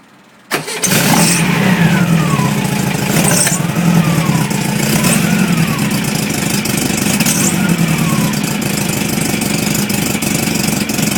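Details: VW petrol engine starting cold and settling to idle with a light, uneven knock that goes away once warm; linkage bushing found loose.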